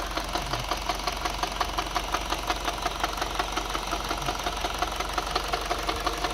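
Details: 2011 Mini Cooper just past 100k miles, full synthetic oil, mostly highway use: even, hard knock close to three per second at idle over the engine hum, worsening after 2 more miles; possible rod knock, unconfirmed.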